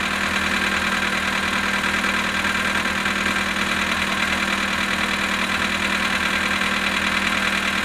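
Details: Polo Sedan engine on a very cold start at -19°C, 18,967 km mileage: steady idle with a fast, fairly even light knock over the engine note; cause unclear.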